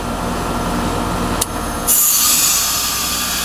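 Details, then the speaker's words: Heat pump outdoor unit with defrost forced via the defrost pin: steady hum, then as the fan drops out and the 24 V reversing valve coil energizes, a sharp click and a loud refrigerant whoosh. Normal reversing valve shift. "once the fan uh kicks out we should see the uh the coil energize and we'll hear that uh you know that notorious and we'll watch the uh magnet slide here we go all right"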